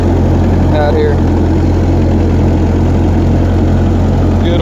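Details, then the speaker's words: Refurbished Massey Ferguson F40 tractor on a night shakedown after repairs, driving in gear through grass with the PTO switched off: a steady, low, even engine rumble with no knocks or misses. Normal, clean running. "Got to love the sound of a good old engine rattling up like that."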